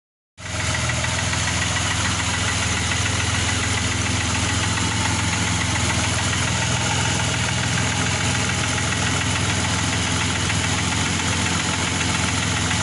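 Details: Engine at idle after reassembly: quick, fairly even knock about three per second from inside the engine, source unclear.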